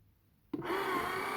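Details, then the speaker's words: Clack CI valve on a simplex water softener being put into service: regeneration started manually with the bypass inlet open and outlet closed for flushing. The small motor whirs on with a steady hum and faint whine as the valve drives normally into regeneration. "When it's flushing and you hear the engine, the motor is turning, then you cannot skip."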